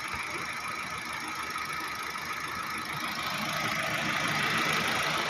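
Petrol engine at idle with a regular ticking stumble of about 200 a minute over a hissy background, typical of a misfire.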